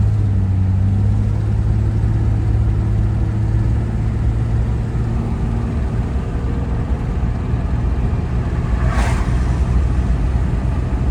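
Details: 1994 Chevrolet S10 Blazer 4.3 V6 on first drive after intake rebuild, timing set: pulls smoothly, low drone rising then easing with speed under road noise, no knocks or misfires; healthy engine.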